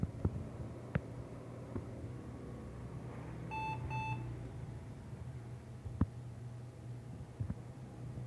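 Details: Thrifted retro PC at boot after CMOS setup changes, floppy drive audible: two short, clear beeps over a low room hum; POST error, cause not yet known, documentation to be checked.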